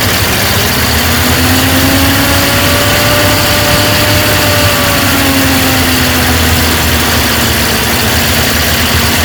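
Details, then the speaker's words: 1950 Ford F5 truck, flathead V8, 53,065 miles, first start on a temporary fuel tank after sitting over 20 years: steady, slightly uneven idle with a faint rising whistle, smoking; owner suspects rings need reseating, oil pressure good. "appears to be a little bit of a smoker, but that's no surprise. It's been sitting forever. Rings probably need a reseat."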